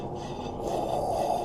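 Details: 1999 Honda Accord, loud road roar at speed, worse on a hard right turn: hand-spun right rear wheel gives a steady gritty rasp with brake drag underneath, from a worn wheel bearing; hub assembly replaced.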